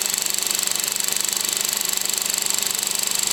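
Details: VW Golf VI 1.2 TSI 105 PS BlueMotion at about 12,000 km, with a fast, even metallic rattle about two per second over the running engine; this is timing chain rattle, not the failed high-pressure pump the dealer claimed.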